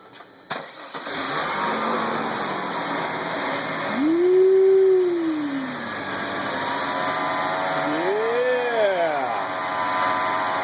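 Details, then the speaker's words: 1994 Mercedes C280 W202 M104 after ignition coil and valve cover gasket replacement; catches quickly, revs rise and fall smoothly, settles to even idle without stumbling; sounds much better than before. "that sounds a lot better than it did so a good deal all right success"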